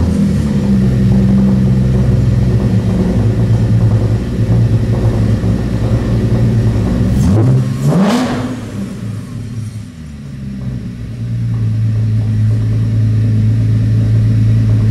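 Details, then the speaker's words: FCP Euro Mercedes C300 race car running under its own power after build work; steady even idle with one clean rev blip climbing and falling smoothly, sounds better than expected; normal idle and rev. "I didn't think this car would sound like this this car sounds better"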